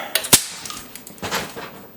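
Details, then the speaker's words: IBM PC XT on power-up after installing a 1984 Tandon floppy drive: a couple of clicks, fan stops, then one sharp loud crack among faint rattles as a capacitor blows, leaving a burnt smell. "Well, that was impressive. Okay. So it looks like we had a capacitor blow. That was a little scary."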